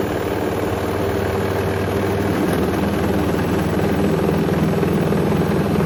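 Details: Hoover Link HL1682D3 washing machine, badly damaged, door seal twisted, on spin: heavy uneven rumbling rattle throughout, dented leaning cabinet shaking loosely against the drum, extremely loud; still works despite damaged cabinet.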